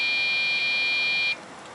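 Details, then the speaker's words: Dell OptiPlex GX620, Pentium 4 3 GHz, 4 GB RAM, at power-on with RAM sticks swapped: beep code 1-3-2, steady high beeps then hang; memory not detected or not initialized properly per Dell diagnostics. "era code one three two according to Dells diagnostic manuals for this particular computer state that that means there is something wrong with the memory or the memory isn't being initialized properly"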